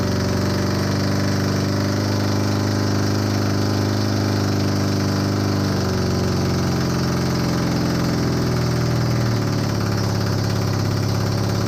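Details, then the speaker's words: Honda CB250N Superdream twin project bike, new spark plugs, idling on partial choke after long non-start: even low thrum, no dropouts; running cleanly. "watch this i'm just so bloody happy right now finally we got some life out of it"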